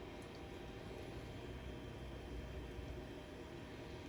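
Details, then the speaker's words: Kato N scale EMD F40PH locomotive (custom painted TRE) crawling at slow speed, battery-powered hand controller about 60% on the dial: faint, even motor hum, no surging, stalling or stutter; normal smooth slow-speed running. "slow speed characteristics are pretty good but it's a modern cotto so i really don't expect anything different"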